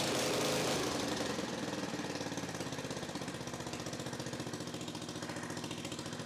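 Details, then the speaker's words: Victa 10-42 / MTD 145-760A lawn tractor, ~50 years old, covers off, no muffler, carb dripping fuel: loud sharp exhaust cracks in fast even rhythm settling after start; runs cleanly. "Okay, it works. Awesome. Now that we know that it starts, I suppose the next question is, does it drive?"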